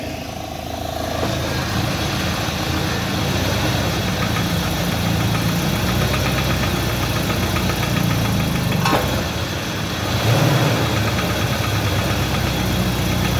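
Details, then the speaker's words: 2017 UAZ Patriot, engine cold, RPM held by scanner, pulling against the handbrake: rough idle with uneven knock at crankshaft frequency, louder under load and clearly heard from above; cause unknown, piston slap or connecting rod suspected. "а тут как-то он просто жесткая жесткая под нагрузкой тарахтит"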